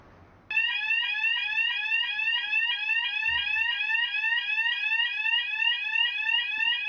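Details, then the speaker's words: Loud high warbling fire alarm tone sweeping about three times a second in a quiet room, sounding normally while an acoustic door closer is tested against the site fire alarm after installation. "after installation it needs to be tested against the fire alarms on site and to ensure that it's actually going to close and hear their alarm"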